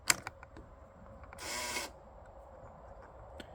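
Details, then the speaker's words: 1998 Yamaha Grizzly 600 ATV, first key-on: short half-second electric buzz then silence, neutral light working; buzzing noise at key-on, owner suspects four-wheel-drive system, unconfirmed. "okay the neutral light works yeah that must be for the four-wheel drive"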